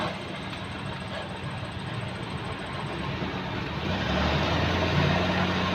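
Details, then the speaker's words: Maruti 800 after wheel bearing and hub replacement, engine driving the raised wheel: steady even running noise with no hum; the broken old bearing hummed loudly before, the new bearing is quiet. "ഇപ്പം നമ്മൾ കറക്കുന്ന സമയത്ത് യാതൊരു വിധ സൗണ്ടോ കാര്യങ്ങളോ ഒന്നും കേൾക്കുന്നില്ല. നേരത്തെ നല്ല മൂളിച്ചായിരുന്നു കറക്കുന്ന സമയത്ത്. ഇപ്പോൾ സൗണ്ടോ കാര്യങ്ങളോ ഒന്നുമില്ല."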